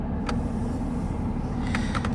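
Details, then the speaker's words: Volkswagen with AC fault and repeatedly blown fuses: constant low whooshing hum with a few faint clicks as the blower keeps running with the key out. Customer reports the fan stays on whenever that fuse pops; cause not yet found. "And they're telling me, because when they dropped off the vehicle, they said every time that fuse pops, that the fan stays on."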